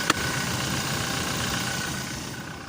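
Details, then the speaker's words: 2018 Toyota Hilux right after starting, following a four-day no-start traced to the IVMS sensor, whose rubber/bracket no longer reached it; settles into an even, steady idle with no knocks or stumbles: normal idle. "Ayun, namandar na."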